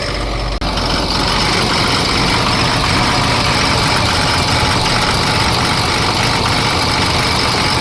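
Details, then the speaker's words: Ford F750 Cummins diesel that sat for years, idling right after a seized alternator was found; loud idle with an uneven beat and an occasional skip, owner suspects an injector. "See if I can get it loose. It's running, but it's got a skip."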